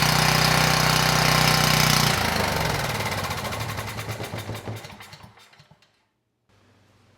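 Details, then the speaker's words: Abandoned Powermate generator run on starting fluid with some fuel left in the carburetor bowl: loud, even roar for about two seconds, then coasts to a stop; makes power, smoky exhaust, carburetor likely needs cleaning. "we got power and the engine sounds good now it shouldn't have run that long on starting fluid so there was some fuel left in the bowl"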